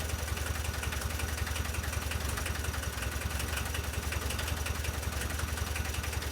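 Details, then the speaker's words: VW T3 diesel running again after many years, following cleaning and refitting of injection pump parts (lines, distributors, solenoid, throttle linkage); adjustments still needed, engine sometimes cuts out. Sturdy diesel idle with even low thrum, no knocks or misses: normal idle. "So, if you hear it's running sturdy, it's going."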